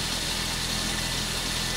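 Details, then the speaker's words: Old automatic car at steady idle with a thin continuous high-pitched squeal from slipping belts: a belt is cracked and the power steering belt is worn smooth on the sides; the alternator belt size is 1180. The belts are not yet replaced; the owner will swap them to see if the noise changes. "e ainda não estava escutando o barulho dessa Correia aí ó e eu vou trocar as Correias aí vez que vai mudar esse barulho é este abre aí"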